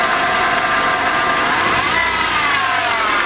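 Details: Mercedes-Benz W201 190E 2.0, engine revved: thin high whine riding over the engine that climbs in pitch with revs, source unclear; owner also asking about slow windscreen wipers; engine whine when revving.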